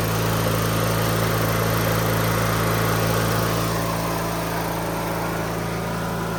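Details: 2003 Craftsman (AYP) DYT4000 lawn tractor (hydro, electric PTO, GT5000 hood); even, steady low hum over several seconds, no misses, knocks or hunting. Normal running.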